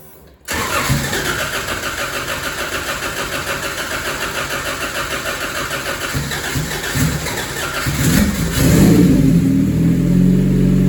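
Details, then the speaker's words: 1988 Honda CRX, mid-engine Acura Integra swap with custom turbo kit, restart after build: short crank catches straight away into even idle, pulls cleanly on a couple of blips; healthy normal start. "See if she starts back up. Damn, brother. Like a fucking champ, buddy."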